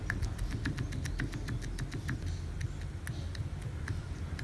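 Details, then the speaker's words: Electric steering rack from a 2012 Toyota Passo KGC30, removed and worked by hand: quick, irregular light clicks from shaft play caused by a worn rack bushing, which is very loud when driving; the fix is replacing the bushing. "You see that little tiny play on the side of that part. That one can cause an amplified irritating noise. Now, right now it just seems like something small, but when it is mounted on the chassis and the vehicle is moving, it gets amplified and it is very loud and irritating."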